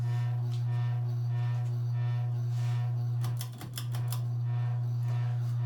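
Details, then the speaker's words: Circa-1985 Evergo 4E-6EALW 52-inch hugger ceiling fan, cast-iron 3-speed motor, at low speed under an open-rafter ceiling that amplifies noise; steady low electrical hum with faint buzzing vibration, likely from rotted-away rubber bushings; about 190 rpm on high, 12-degree blade pitch. "despite the fact that the humming sound this fan has it's actually a pretty decent performer fan spins around 190 rpms on high-speed with a 12 degree blade pitch"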